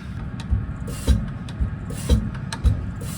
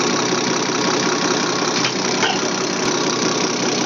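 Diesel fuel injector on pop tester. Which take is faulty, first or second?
first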